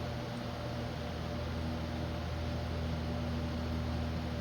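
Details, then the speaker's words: ILG Model 123 fan with a 1/20 hp GE unit-bearing motor, after revarnished windings and fresh oil in the wicks, on a full line-voltage test: steady, even hum with no loud buzzing, rattle or drumming. Normal fan running. "All right, I would say that sounds a lot better than it did before. No crazy loud buzzing when it started, just the natural harmonics of the motor. And um I'm not hearing any drumming sound coming from it."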